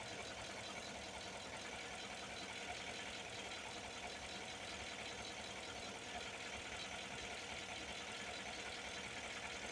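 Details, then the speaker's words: Chevy Silverado 1500 LT V8 at steady idle: faint, loosely repeating clicking heard near the first spark plug / cylinder one; cause unknown. "There's a clicking sound that's coming from, let me back it up a little bit. the first uh spark plug, the first cylinder."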